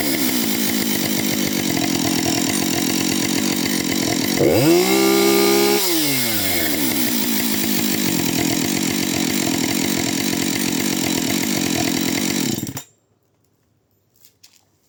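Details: Husqvarna 565 chainsaw, first start after overhaul: strong, even two-stroke scream holds steady, rises cleanly on a brief throttle blip, then stops; running smoothly.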